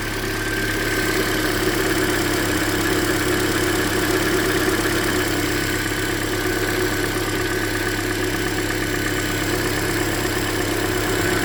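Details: 2013 Hyundai Elantra, about 100,992 km, near its yearly oil change, heard close up at idle: faint, fairly quick tick, traced by stethoscope to cylinder 3's middle bolt; owner suspects deeper than lifters, possibly piston slap, unconfirmed.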